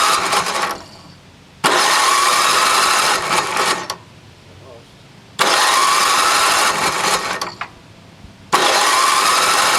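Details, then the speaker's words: NOMA 8hp snowblower (wheels locked), choke on, primer possibly not working, little gas in tank; repeated electric-start cranking bursts with pauses, engine never catches. Cranks but won't start, fuel starvation; carbon seen on piston, some exhaust smoke. "open that choke primer doesn't really sound like it's working"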